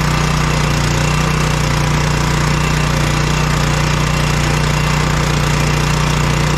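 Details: Powerstroke generator that came in crank no start from old gas, after carburetor cleaning, no leaks: steady even small-engine drone, no misses or surging; normal running.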